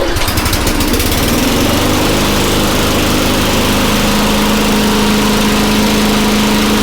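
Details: Very old Craftsman Eager 1 mower with a Tecumseh engine (rear spark plug), running after a choke-to-primer conversion and a few extra primes. A steady, even single-cylinder buzz at constant speed with no misses or surging; normal running.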